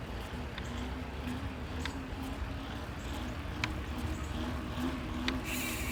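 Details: Yeti SB100 mountain bike after bottom bracket and headset replacement, being ridden: sharp, irregular snaps every one to two seconds over quiet rolling noise; the snapping persists and its source is still unknown.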